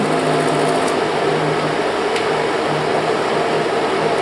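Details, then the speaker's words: Kodak Showtime 8 film projector running film forward: steady, fast whir with even film-drive clatter, no knocks or skips; normal running. "Ahí está. Aquí está corriendo hacia adelante."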